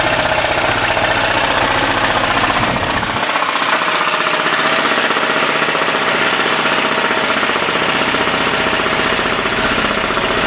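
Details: 10 hp Yanmar-clone LaunTop Chinese diesel, cold start at about -4°C, running under a minute, still smoking: fast, even diesel clatter with steady beat, no misses or hunting; normal cold-start running.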